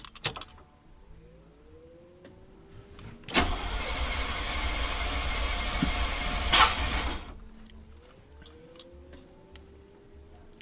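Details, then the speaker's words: 1990 GMC 350 small-block V8 first start after engine swap: starter spins steadily about four seconds, never catches; cranks, no start. Oil pressure present; owner suspects it is out of time. "it's probably out of time for one I got oil pressure okay I do not get it firing though so it's no gas"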